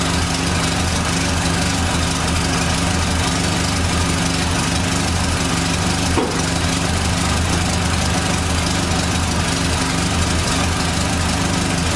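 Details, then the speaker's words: 1989 Dodge Daytona ES, started up: steady idle with a faint constant unchanging whine over the engine note; power steering pump whine suspected. "okay so i'm gonna fire this thing up hopefully it runs right no issues here we go whining noises the power steering car"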